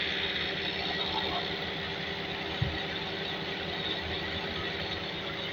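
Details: Toyota Altezza petrol engine idles evenly under a strong airy hiss with one brief thump, started after the intake gasket was fitted and vacuum pipes reconnected to fix a misfire.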